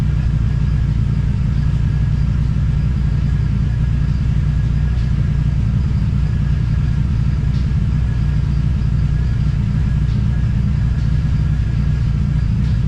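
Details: TVR Cerbera with rough running and random misfire: deep uneven rumble with lumpy stumbling beat about 3.5 per second; owner considers disconnecting one of the two throttle position sensors.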